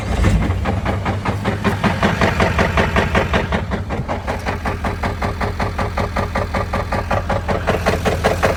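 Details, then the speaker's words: LML Duramax diesel, about 12k miles after revival, began as light tap on light acceleration and grew to heavy clattering knock like banging on a door, every revolution at idle; broken crankshaft. "it started off with a little tap on the light acceleration and now we're into a heavy clattering knocking sound almost sounds like somebody's beating on the back door"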